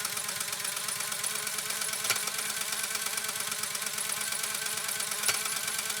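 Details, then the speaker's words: Restored Pfaff 130-6 sewing machine sewing decorative stitch 4 with the foot control pressed all the way down. Fast, even high whir with a fine steady tick and no knocks or catches: normal running at full speed. "All right, now I have my foot all the way on the foot control."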